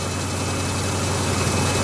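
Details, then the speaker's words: 1986 Chevy K-10 truck during restoration: low steady hum with slight unevenness, struggling to hold a settled idle; idle unstable, worse under lights' electrical draw, wasn't like that before, cause unknown. "idol is one of them to get to that sometimes it idles some other times it doesn't like right now wasn't like that before it is"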